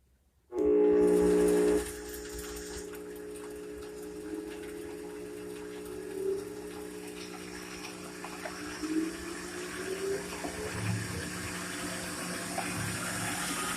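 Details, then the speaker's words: Reclaimed treadmill DC motor, belt-driven and speed-controlled, newly fitted to a Total Shop (Shopsmith-type) tool, wound up to the controller's 8 mph setting: smooth, steady mid-pitched hum with a faint even whir and no knocks; normal motor run. "That's 8 miles an hour, whatever that is in RPMs, I don't know. Listen to it wind up."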